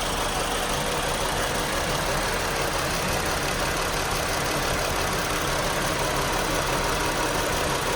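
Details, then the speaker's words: 2018 Chrysler Pacifica after dead battery replaced: normal idle for about 10–25 seconds, then chugging rough idle with flashing engine light, P0300 multiple cylinder misfire. "I started to notice a chugging in the uh in the idle and um I knew that something was wrong the engine light started flashing"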